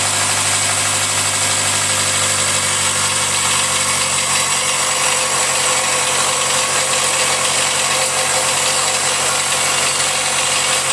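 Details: Jaguar F-Pace 204DTD diesel, self-rebuilt with used polished crank, engine mount just connected: loud harsh idle with steady hissy rasp; rough, owner unsure if normal, suspects exhaust blowing or that it needs warming up.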